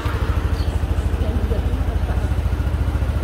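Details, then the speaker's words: Yamaha NMAX 155 V1 scooter after cam bearing replacement and throttle body cleaning, no error codes: smooth, even low putter at idle with steady pulse, no ticking (lagitik) which was previously loudest at idle; normal quiet idle, sounds like new. "So, ayan siya, tahimik na. Kasi pagka naka-minor, doon siya maingay eh. Ngayon, wala na siyang ingay."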